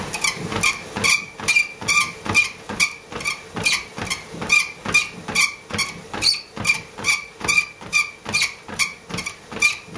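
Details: Livestrong LS13T treadmill (made by Johnson), about 26 months old: sharp, high squeak repeating two to three times a second while running; owner says it comes from the motor, not bolts or shocks, and lubrication won't fix it.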